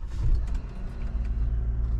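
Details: 2009 Toyota Aurion after an electrical power problem fix with a brand-new starter motor: the engine catches cleanly and settles into an even, deep idle with no grinding or clicking; normal start and idle.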